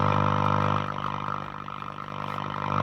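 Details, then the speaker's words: Breville Pick-Me-Up 5 valve radio being restored, powered up slowly with HT only around 107 volts: steady low buzzing drone that swells and dips, with no stations received yet at the low supply voltage. "Can't hear any stations yet, though. and nothing yet."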